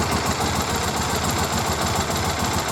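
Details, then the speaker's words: 2001 Triumph Bonneville twin, carbs just split to cure a fuel leak, vacuum gauges connected: lumpy, uneven idle with an irregular beat between pulses; gauges well off; carburetors out of balance, fixed by turning the balance screw on the right carb. "okay i've both started and you can probably hear it it's off and i look at the vacuum gauges and yeah well off"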